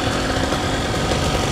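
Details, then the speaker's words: Paramotor two-stroke engine that seized mid-flight, field-repaired with scorched piston sanded, cracked airbox and cracked exhaust; starts on first pull and idles with a steady, busy even pulse, no misfires or knocking, sounds great. "Ah, it sounds great. So cracked airbox, cracked exhaust, and a scorched up piston. Still runs great. Starts on the first pull."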